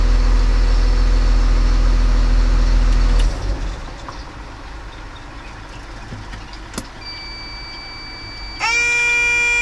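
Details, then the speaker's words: Machine diesel after its starting circuit, relays and fuses were checked for a starting fault: it starts, holds a steady, even idle for about three seconds, then shuts down cleanly; normal running. "I am going to crank it Wow it started I succeeded"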